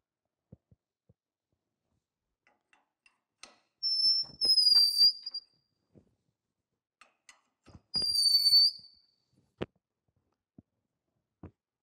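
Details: Lucas horizontal boring mill, Morse taper No. 5 reamer hand-turned with tailstock pressure and oil; two high thin squeals about a second each between quiet taps where it wasn't cutting evenly at first.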